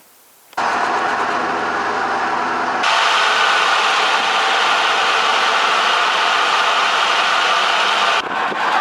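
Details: Formerly seized 5.4 DOHC Ford V8 from a Navigator, freed up and started: it catches after a brief crank and runs loud and ragged with an uneven beat of roughly four a second; internal damage is suspected.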